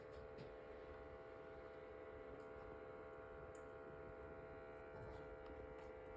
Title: Ailinke Humidifier making noise MG 2587